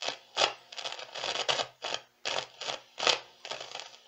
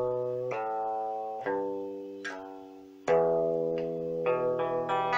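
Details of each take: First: Meteoro Atomic Drive 20W guitar amp, just powered on: bursts of harsh crackling hiss through the speaker as the knobs turn, caused by faulty potentiometers. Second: Meteoro Atomic Drive 20 guitar amp after repair of noise and hiss caused by its potentiometers, knobs cleaned: clean chords with a quiet background, no hiss or crackle; amp working properly.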